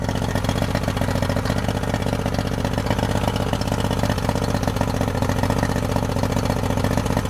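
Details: 2003 Yamaha 90 HP two-stroke outboard with good spark, compression and clean carbs that won't rev past about 2,000–2,500 rpm. Lumpy, loping idle running on two cylinders because a leaking fuel pump diaphragm floods cylinder #3; a bad oil-tank level sender also caused limp mode.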